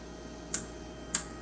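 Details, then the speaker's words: SX3800 face machine on accessories test board, Dermalift program: sharp crisp ticks about every 0.55 seconds over faint electrical hum, each tick an automatic polarity switch; normal program ticking. "And the thing about the Dermalift, you hear it's got those ticks. Well, it's automatically shifting during those 2 ticks of different polarity signals on the machine."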